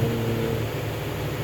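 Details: Washing machine in the spin-dry cycle after cleaning; it previously spun noisily and washed poorly: smooth low hum and steady drone with no thumping or rattling, spinning evenly.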